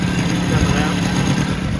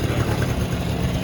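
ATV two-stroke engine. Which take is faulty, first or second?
second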